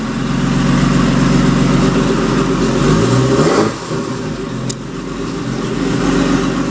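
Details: Porsche Boxster turbo engine in an Audi S4 after rebuild and a crank sensor wire fix: catches and runs with an even, steady beat, revs up cleanly, then settles; healthy start with no misfire. Oil later seen in a silicone hose.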